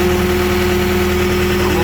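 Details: Skid steer diesel started with a GOODALL Start All 10,000 amp jump box: steady, even idle with a constant low drone and no misses or knocks; normal idle.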